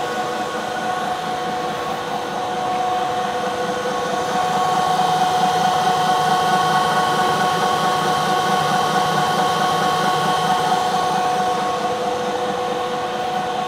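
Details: 1 HP Bridgeport R8 milling head on a converted planer, 5-inch 45-degree face mill, finish pass on bar: steady spindle hum with light constant cutting hiss, no chatter or squeal; smooth finish.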